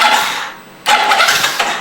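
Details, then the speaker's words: Yamaha Mio J injected scooter with no fault codes: two short bursts of high starter whirring with no firing; fuel pump hums and injector sprays fuel, but the engine cranks and will not start; compression not yet checked. "Nah, oke, cuy. Jadi injektor ini menyemburkan bensin ya, cuy. Nah, tapi motor ini nggak mau nyala."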